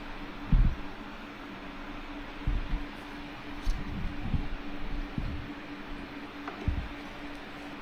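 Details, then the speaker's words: Daven Aqua PC case with ABKO T240 Tethys AIO water cooler; radiator fans on a non-PWM header stuck at full speed, giving loud steady rushing air and low hum with handling thumps; later moved to a PWM header to quiet them. "하면은 실패인 거 같네요 펜 스피드가 장난 아닙니다"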